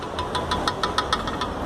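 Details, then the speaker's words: Ford Ka with 44,000 km, front right suspension noise: quick sharp metallic clicks, about six a second, as the removed front shock absorber is rocked by hand; play in the shock rod. "e ele já faz o barulho. É impressionante como esses carros dão problema na folga da canela do amortecedor."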